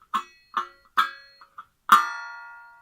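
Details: Carbon steel plastering trowel; a brand new Marshalltown gives a dull sound when struck, but here, after light taps, one strike rings out as a clear, sustained metallic tone for about a second; a properly broken-in blade.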